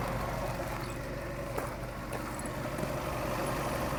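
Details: Toyota Camry at 245k miles, timing belt area: steady idle with a constant mid-pitched whir over the engine and no knocks; worn water pump bearing suspected, not confirmed.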